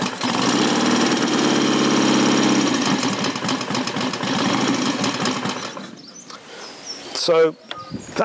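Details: Customer's motorcycle kick-started without choke, ignition advance midway, little fuel; engine not stripped, standard gearbox. It kicks into life and settles to an even, steady beat with no knocks or misses: a healthy start and idle.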